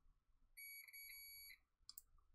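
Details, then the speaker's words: Multimeter in continuity mode with its two probes tapped together: one clear high-pitched beep about a second long, showing the continuity check works normally. "right now this is in continuity mode so do you want to tap the two two probes together so I put my where the camera can see them and tap them together and see if you get a noise"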